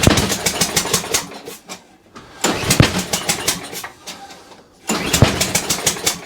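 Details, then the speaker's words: Toro Recycler mower after a new spark plug, on choke, first start: bursts into life in ragged spurts that die away then catch again; rough running on first start. "So she's a runner. It may have just been standing for a little while. Oh, I'm pleased with that. I am actually very pleased with that. It didn't sound right to begin with."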